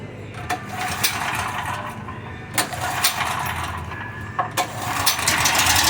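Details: Small engine fitted with a HIPA dual-fuel propane carburetor, gasoline drained from the carb and propane purged, catches on the first pull and settles into a steady even run with no misses or surging; normal running on propane.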